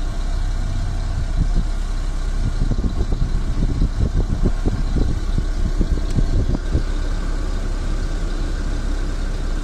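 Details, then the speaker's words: Car dashboard AC blower motor tested on every speed with engine idling: smooth air rush stepping up with each speed, no whine, hum or grinding; blower bearings judged fine. "اللي طالع منه صوت الهوا بس، مفيش ونة ولا حنة ولا زنة ولا نحرة."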